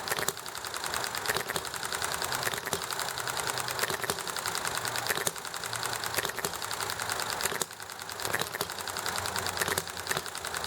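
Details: Enjomor hit-and-miss engine running nicely, with highway traffic and chatting in the background: light fast ticking with a sharper firing pop roughly every second as it coasts and refires; normal running.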